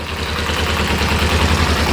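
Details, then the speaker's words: Kawasaki ZZR250 after clutch-basket repair with new homemade bushes, first start with choke on. Low, even tick-over with none of the previous low-rev clutch knock. Normal idle. "Listen to that. Normally that tick over it would be knocking. Perfect. So I'm happy with that."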